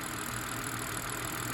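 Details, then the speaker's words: BMW engine at idle right after PCV (crankcase ventilation) valve replacement to cure a screaming/whining noise: settled, steady idle with a smooth low drone, no squeal or hiss, idling down properly; noise fixed. "No, it's good. It sounds good too, right?"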